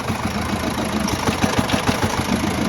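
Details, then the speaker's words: 2010 Subaru Outback 2.0 diesel boxer, first start after crankshaft oil seal replacement, recorded from below: hard regular knock six to seven times a second at idle, crankshaft end play and dual-mass flywheel moving; clutch rustles. "Вот так работает мотор. Штив ходит, двумасса ходит, но клиенту всё."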